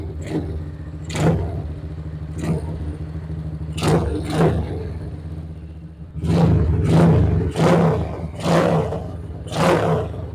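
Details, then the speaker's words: Honda GL Pro motorcycle after fixing lost ignition, checking coil, CDI and spark plug; small single catches promptly on the starter and settles to a low idle between throttle blips; normal start and idle. "Ini motor sudah bisa hidup kita coba matikan kontak on lagi kita coba starter ini sudah selesai"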